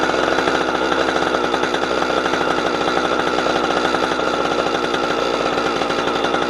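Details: Husqvarna 455 Rancher two-stroke chainsaw, warmed up, cutting wood after a fuel filter change; it had choked when warm. High steady snarl holds revs evenly through the cut without bogging or surging; old filter found discolored.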